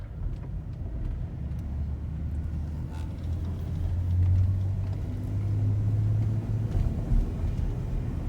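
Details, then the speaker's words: 2009 Saturn Outlook salvage project on its first test drive after a bent strut was replaced: loud low droning rumble rising in pitch as the engine pulls, a big exhaust leak; front-end clunks also noted, lower control arms and bushings still needed. "Yeah, you can hear that exhaust leak."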